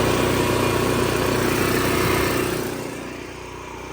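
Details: Cummins Onan generator, primed and started warm after relocating the fuel pump outside to cure stalling and surging: catches at once and settles into a steady, even drone with a stable hum, no surging or hunting; running normally.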